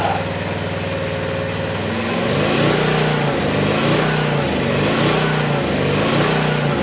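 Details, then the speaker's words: Vintage Honda EG1400Z generator, an auction find that would not run, fires right up and settles into a steady, even putter with no misses or knocks; the engine runs normally. Generator output not yet tested. "holy crap that's hilarious that thing fired right up didn't even worry about it just sitting here purring along"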